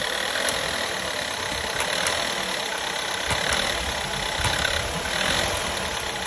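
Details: 2012 VW Golf 6 1.4 TSI 122 PS: busy idle with faint, uneven ticking over a hissy engine note; something audibly off, cause unclear.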